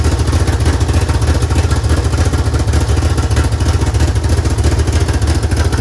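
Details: DSM build, first start with newly mocked-up belt-driven mechanical fuel pump: deep, steady low rumble with even firing and no knocks, ticks or rattles; the engine runs smooth and healthy.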